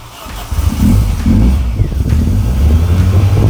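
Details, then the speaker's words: VW Golf, timing suspected knocked out after the air filter fell into the engine, first run after reassembly: engine keeps going only on repeated throttle blips, surging and sagging, and won't settle to an idle. "okay so it's not idling it's not idling but it is running"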